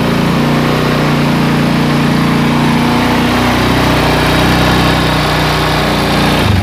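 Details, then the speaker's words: Honda Tiger single-cylinder motorcycle held at high revs sounds coarse and buzzy with a harsh rattly edge and heavy vibration; mechanic suspects a piston or connecting rod problem, and the engine had been taken apart before. "si motor ini itu kalau digas kesel banget lebar bunyi para seperti suaranya loya Cu parahnya itu suaranya itu seperti piston leplex"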